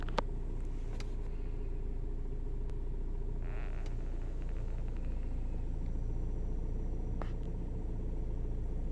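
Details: Scion xB petrol engine with a rough, lumpy, wavering idle that occurs only temporarily after filling the gas tank; owner suspects a bad purge valve or EVAP fault, no EVAP code set.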